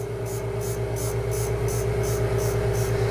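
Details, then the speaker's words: Valve refacing grinder, motor slowly brought up to set the contact point: steady mid-pitched ring over motor hum, pulsing about three times a second as the stone just kisses the valve face. "so I'm going to bring the motor up until I listen for an audible tone I want to do it slowly and precisely the measurement's not important at this point but we need to make and establish a contact point"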